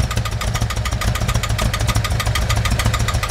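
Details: 1988 VW Vanagon, just started after replacing the clogged mid-pipe, catalytic converter and muffler, grease burning off the exhaust: low, uneven idle with occasional stumbles, sounding like a miss at idle; cause not confirmed.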